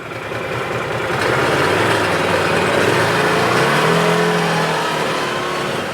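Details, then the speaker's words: 2017 Odes side-by-side on a road test after the fix: the engine pulls up smoothly under load with a steady rising drone and no hesitation, spitting or sputtering, now that the faulty gear position sensor no longer jumps to neutral or reverse. "So boom, right there, no more hesitation, no more spitting and sputtering, because that gear position sensor is no longer jumping around, showing neutral or reverse or any of that crazy stuff and kicki"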